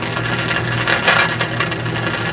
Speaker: because that's usually the only thing that causes this kind of frying that is they may not be totally bad but i don't think it's tube related because moving the tubes doesn't seem to really change it much